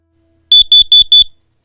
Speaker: a continued set of four loud beeps means carbon monoxide is present in your home